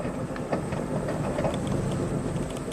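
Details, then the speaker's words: 2003 Kia Rio at 30,000 miles cruising about 20 mph: loose, irregular clunks and rattles over steady road rumble, pointing to badly worn front suspension that needs full replacement; cause suspected, not confirmed. "It needs all new suspension at 30,000 miles. So, we're cruising about 20. See, the speedometer works fine. Got some weird noises going on."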